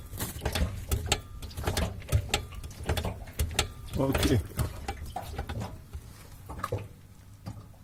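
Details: BMW E30 rear end: irregular knocks and clicks over a low rumble, with petrol splashing audible; owner suspects output shafts, driveshaft carrier, rear rubber mounts, diff mounts or the diff. Cause unclear.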